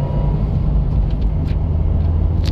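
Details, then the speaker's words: Deep, steady hum and roar in the cabin at road speed during a test drive of a client's vehicle already known to have bad wheel bearings; worn wheel bearing hum, which could end with the wheel detaching. "oh it's kind of coming that humming noise is a bad wheel bearing now what this means in terms of your driving safety as far as I know again I'm not a technician but the worst possible scenario of letting a noise like this go in your vehicle is that your wheel May fully detach"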